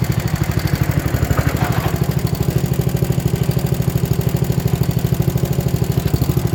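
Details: 1960s Toro Professional 70 reel mower, single-cylinder engine after carb rebuild and adjustment (high idle 2.5 turns, low idle 1.25) and fuel system cleaning: steady, even chug at fast idle, firing regularly with no misses or knocks. Normal idle.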